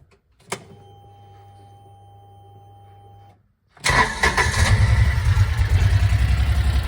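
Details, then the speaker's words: 2016 (possibly 2013–2018) Kawasaki Mule 4010 after fixing its low-idle stalling problem, 100% cold start: brief chime, engine catches quickly with one little hiccup, likely fuel injection compensating, then settles to an even, steady idle. Normal cold start and idle. "Hear that little hiccup right there in the beginning? That's just the fuel injection, I think, adjusting or compensating."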